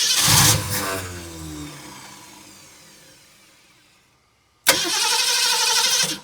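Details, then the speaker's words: 1969 Ford Mustang, sat 30+ years, fed through a hose from a separate gas tank: short cranking bursts with no catch. Fuel starvation, because the hose from the tank looped up and then down so fuel couldn't reach the carb. "I have my gas tank, my hose here looped way up and then went down. Well, gasoline does not go up, it goes down."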